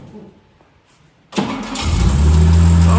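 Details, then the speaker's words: 1963 Jaguar XKE, parked since 1996, revived with remounted exhaust, fresh fluids, new header tank and cooling hoses; push-button start, one short crank then smooth even idle with no misses or knocks, sounding all right. "first push of the button and the engine sounds all right."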